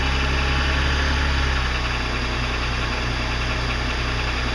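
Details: 2006 BMW 330i E90: knocking began at cold start six months ago and now occurs all the time; steady idle with a persistent dull, diesel-like knock, about three per second; cause not pinned down.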